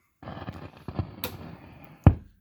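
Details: Marshall Master Lead Combo 5010, 1980s 30-watt solid-state 1x12 amp: irregular crackles and bassy pops as a control turns, from dirty, scratchy pots before cleaning with DeoxIT.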